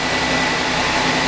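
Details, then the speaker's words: Audi Q5 3.0 TFSI supercharged V6 idling after the snapped catalytic converter was welded back, spark plugs replaced and a K&N air filter fitted: smooth, even, quiet hum with no ticking, rattle or exhaust leak; fixed. "Oh, it's so quiet. That's the way it should"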